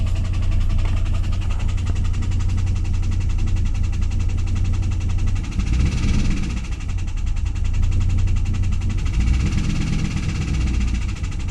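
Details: 2001 WS6 LS1 5.7L V8 after running with zero oil (pressure fell from 30 to 0), refilled: loud deep drone with fast even tick; ticking began at high rpm two days prior, cause not found.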